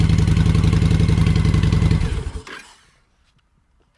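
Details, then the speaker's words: Motorcycle V-twin with Cobra 2000 EFI controller set at 122: starts, controller lights go out to green, steady even beat about three to four pulses a second for two seconds; RPMs sound better, normal running. "See how the lights went out? Now it's just green. I'm good to go. The RPMs on this sound a lot better."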